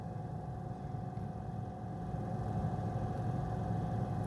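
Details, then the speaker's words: 1973 Dodge D100 heater blower on high, working after prodding with a screwdriver; quiet, steady whir with faint hum, fan spinning freely and moving air; normal blower operation. "Oh, it's working. Listen. It's working now. You can hear it. It's blowing."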